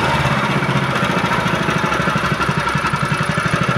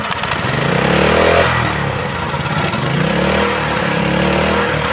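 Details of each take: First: GX160/200 petrol engine after governor adjustment for high, unstable idle that revved up by itself: steady, even single-cylinder putter with no hunting or surging; idle now stable. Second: Honda GX160/200 petrol engine, throttle released: stays at fast, slightly hunting revs and never drops to idle, revs rising on their own; governor out of adjustment, engine will not return to idle.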